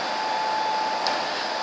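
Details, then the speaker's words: HP C7000 blade server render farm with 12 BL465c blades, housed behind the house: a steady, high-pitched airy fan roar with a faint constant tone, no pulsing or rattles. Normal server fan noise. "so this machine sits out the back of the house as you can hear it makes a little bit of"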